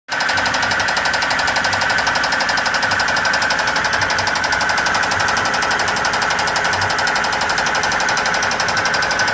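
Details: Volvo marine 5.0 boat engine running, blown: loud, rapid metallic hammering rod knock throughout from a badly failed rod bearing.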